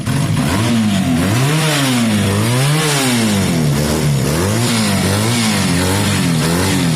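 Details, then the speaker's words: Honda CB250 Nighthawk bobber after swapping to the second carburetor: engine revs freely up and down in smooth repeated sweeps, no knocks or misses, settles evenly; sounds healthy. "that sounds so healthy, doesn't it? Sound healthy."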